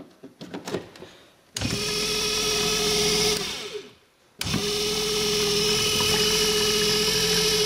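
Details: Cheap 240 V DC brushed pump motor after cleaning, reassembled: spins up to a steady, even hum with a clean high whine and no grinding; runs normally, a bit better than before.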